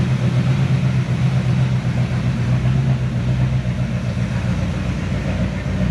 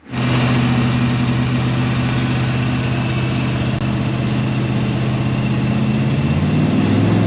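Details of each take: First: 1970 Chevy C10, 327 small block, HEI distributor installed wrong, cap and rotor junk, hard hot starting: deep, lumpy, stumbling idle that is smelly and noisy, rough running from incorrect ignition timing. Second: 1970 Chevy C10 with a 327 small block and HEI distributor, after correcting the distributor position and ignition timing: the engine catches at once and settles into a steady, even V8 idle with a low rumble, no stumble or misfire.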